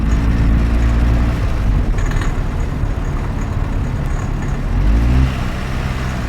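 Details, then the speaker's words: Car engine under load at low rpm: low drone with a light metallic rattle like spoons and forks, engine knock (detonation); said to do little long-term harm at low rpm but more severe and quicker damage at high rpm. "قاشق چنگال قطعاً همتون متوجه شدید تو این خودرو تو دور پایین خودرو ناک داشت"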